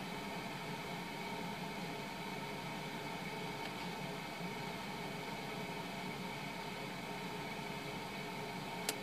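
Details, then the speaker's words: 2007 household refrigerator, after its defrost timer was replaced with a SUPCO solid-state timer: steady even hum with a soft fan rush and no clicks or rattles as the compressor runs normally in the cold cycle. "it's running so it's now in the cold cycle it's going to come down to temperature but the the timer is doing its job"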